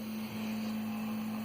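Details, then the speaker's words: Prusa 3D printer in normal mode after refitting the stock extruder fan, the real cause of the bearing-like rattle: only a soft steady low fan hum while printing, no rattle or buzz; sounds healthy. "so this is in normal mode no more rattling it's quiet i barely hear it from my uh over here my desk"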